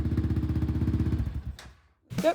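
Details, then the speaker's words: 2020 Yamaha Raptor 700R SE quad that wouldn't start, fuel pump replaced, cause found to be a blown fuse; quick even single-cylinder pulses with steady beat, no stumbling, then shut off; running normally again. "just wanted to show you guys that the Quad starts back up and it was actually a blown fuse and everything's back to normal now"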